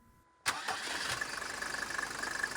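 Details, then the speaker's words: Diesel car with engine that wouldn't shut off, after reconnecting the vacuum line: starts instantly, even steady diesel idle tick, no misses or rattles; now shuts off with ignition, repair successful. "läuft sauber."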